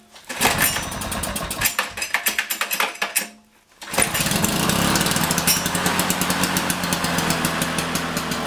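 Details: Abandoned commercial-grade Canadian-made lawn mower from the dump, first start attempt: rapid crackling two-stroke after a brief pull, then a steady strong buzz under load with tires spinning in a burnout; running cleanly.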